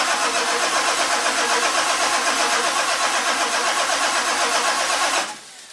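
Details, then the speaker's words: 1946 Ford with a diesel, cold rainy morning around 49°F; glow plugs cycled manually before cranking. Starter turns the engine over at a steady rhythmic crank for about five seconds, turbo wheel spins a little, but it never fires: cranks but won't start. "You see a turbo wheel spinning a little bit. We got nothing. I'm a big fat idiot."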